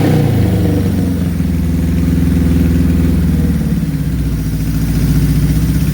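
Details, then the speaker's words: 1978 Suzuki GS1000 four-cylinder with 4-into-1 exhaust, choke partly on, after clutch cable work: steady burbling idle picking up cleanly when blipped, no rattles or misses; clutch works, sounds healthy. "All right, so as you saw, we got it running. She sounds good. The clutch works phenomenal."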